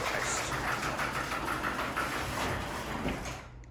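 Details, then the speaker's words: Garage door running with a harsh, wavering screech over its travel rumble on every other run or more, persisting even after lubrication. The source is unknown. "every other run sometimes every run it'll like make this painful screech"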